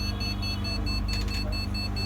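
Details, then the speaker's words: Gigabyte 61-series motherboard with a restart problem, on the bench after power-sequence repair: sharp high beeps about five times a second over steady fan hum, the RAM error beep code. "RAM বিপটা দিতেছে, শুনতে পাচ্ছেন আপনারা?"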